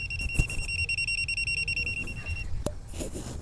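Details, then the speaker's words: Clamp meter's NCV (non-contact voltage) mode held below a removed fuse gives fast, steady high-pitched beeping, about five pulses per second, then stops. The live-voltage alert shows current is present there. "पण हे खालच्या बाजूला लावलं तर तुम्हाला clear ते वाजलेलं दिसतंय. किंवा तुम्हाला अजून क्लिअर ऐकायचं असेल तर याचा बीपचा आवाज ऐका तुम्ही."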